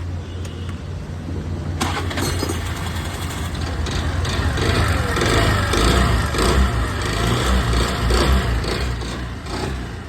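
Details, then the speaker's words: Suzuki Access 125 BS6 scooter brought in for excessive engine noise, before engine teardown: loose, uneven rattle under the engine note, about two beats a second, louder with revs; worn piston and cylinder. "जैसे कि देख सकते हैं ये engine से sound आ रहा है। अभी हम लोग इसको ओपन करेंगे और बताएंगे क्या इसमें दिक्कत था, क्या प्रॉब्लम था।"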